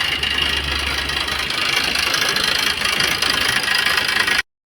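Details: Maruti Suzuki Swift diesel, about 154,000 km, idling: loud, busy, uneven metallic clatter, suspected timing chain kit noise; belt removed to rule it out, rocker versus timing noise to be checked on opening the engine.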